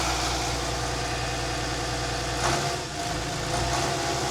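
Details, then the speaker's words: Volvo Penta TAMD 71B marine diesel, unrun for 10 years in a partially sunk abandoned boat, first start: steady, even idle with smooth low rumble, no knocks or misses; normal idle, good pressure. "That sounds mint. That sounds really good. Move over. >> That sounds >> That sounds nice. Amazing."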